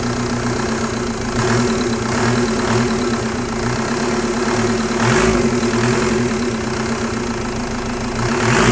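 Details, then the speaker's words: Mk1 VW with M-TDI swap and Bosch VE injection pump, short on fuelling: diesel idles with uneven, lumpy clatter and a surging beat of about 3–4 per second after the lever stack was moved counterclockwise on the input shaft; rough running from mis-set pump throttle lever. "I would generally say that was worse. And what I did was I moved the lever stack counterclockwise with respect to the like input shaft."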